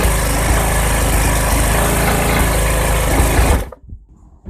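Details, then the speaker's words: 2021 Briggs & Stratton Black Max push mower (MNA152905) found roadside with severed crankshaft; engine still has good compression, runs with an even steady drone, no knocking or clatter, then winds down cleanly; internals seem to have survived. "All right. That actually sounds pretty good. I don't hear any knocking or clamoring going"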